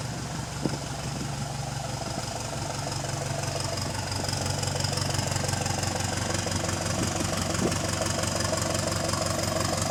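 A diesel bus rumbles past with a sharp ticking about three times a second; it could be an exhaust leak, but that is unconfirmed.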